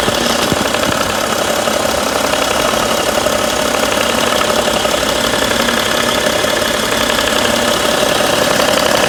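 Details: 2011 BMW 335d (286 hp, 205,000 km) at warm idle: a light, quick clicking from the front of the engine near the damper pulley, lasting about 2 s every 3 s. It disappears with slight throttle, softens with A/C on, and is absent when cold.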